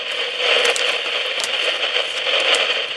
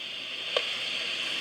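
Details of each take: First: PNP germanium transistor in a homebrew test jig, output fed to a utility amplifier: dense, steady crackling hiss like heavy rain, no gain or signal getting through. A noisy, dead surplus transistor. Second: 2SB56 germanium PNP transistor in a noise test jig, test amplifier at full gain: soft, even, mostly high-pitched hiss with one brief tick, a little quieter than a 2N217.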